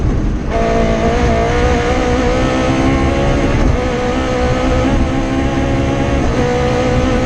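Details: Rally car engine on the Padmore Village to Golden Grove stage, Rally Barbados 2017, at high revs under load with an uneven, stumbling, ragged note: a misfire from a dead cylinder after an injector wire broke around the stage's halfway point.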